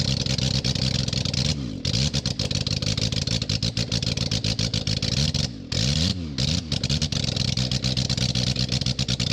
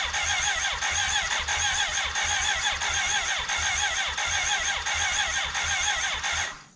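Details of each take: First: 1991 BMW K100 LT, 987 cc fuel-injected four-cylinder, sat outside ten years, first start after head cleaning and reassembly, muffler and radiator off: raw, very loud open exhaust rising and falling with throttle blips, firing smooth and even; healthy, just unsilenced. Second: 1991 BMW K100 LT, 987cc four-cylinder fuel-injected, left sitting outside about 10 years. Crank no start: the starter turns it over unevenly for several seconds but it never catches. Later a cylinder-one intake vacuum cap blew off, dirt came out, and a valve was sticking.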